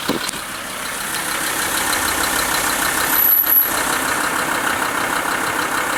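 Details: VW LT 35 2.5 TDI (AHD) diesel van, warm idle: light, fairly regular top-end tapping about three per second over the clatter, knocks at idle and accelerating, not coasting; owner suspects camshaft area; new vacuum pump and pushrod quieter; unconfirmed.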